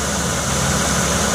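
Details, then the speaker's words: 2007 Chevy Uplander Braun wheelchair van, 3.9 V6: steady, smooth low idle rumble with no knocks, misses or rattles; idles evenly and sounds healthy. "I'll step out, I'll let you hear it run. Runs real nice, we've had it detailed up."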